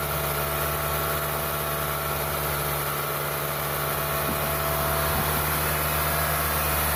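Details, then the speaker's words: Toyota 1ZZ engine after first-time rebuild and reinstall, first start-up with new oil, coolant, transmission fluid, water pump, radiator and torque converter seal: steady even idle, smooth low hum with constant whir on top, no knocks or misses; sounds healthy. "So far it sounds pretty good."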